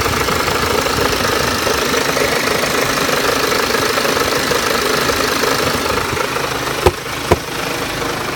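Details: BMW X1 23d, N47S D20 diesel, strange running at low rpm: rough busy idle with a dull knock throughout plus two louder knocks near the end; cause unknown, owner asks what it could be.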